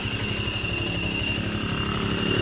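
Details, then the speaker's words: Yamaha Sniper 155 FI scooter, warmed up with the radiator fan now running: steady, constant high whine over an even idle. The water pump keeps whining; the pump is to be disassembled. "So ang kanang gapanago si water pump na wala po niandar ang iyahang ah radiator fan niandar na ang radiator fan."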